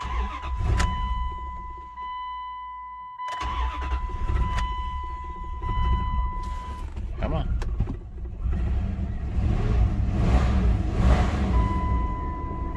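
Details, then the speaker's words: 1999 Dodge Durango SLT V8, sat 14 years, after exhaust manifold reinstall: after cranking it stumbles with a lumpy, uneven beat over a door chime, missing because two rear spark plug wires were swapped. "feels like it's missing I got I definitely got two backwards um and it's definitely the rear two I got backwards"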